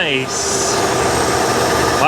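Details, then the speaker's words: Bullnose Ford F150 started cold after wiring fixes: steady, even idle with high fast-idle whine, no misses or knocks; normal cold-start idle. "she really does sound good doesn't she cold start too"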